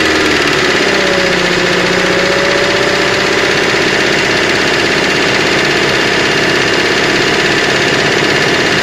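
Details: 2005 Mercedes-Benz Vito at idle: fast light knocking about three times a second; sump opened, crankshaft and bearings look new, owner suspects injector or hydraulic lifter; engine knock, cause unconfirmed.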